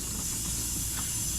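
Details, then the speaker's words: 2006 Chevy Silverado 5.3L, over 200k, AC system rebuild: soft, steady, fading hiss of a little leftover refrigerant escaping as the accumulator/dryer line is loosened with a 13 mm; normal for a discharged system, not high pressure. "you can hear it is kissing a little bit but it shouldn't be much it'd be coming out a lot quicker than this up there there's a lot of pressure on it"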